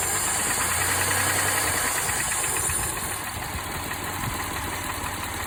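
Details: Mitsubishi Montero Sport with 6G72 engine at idle: light, somewhat uneven internal knock about three per second, intermittent, more frequent with added revs; oil pressure stable, no smoke; owner unsure whether hydraulic lifter, piston pin or bearing.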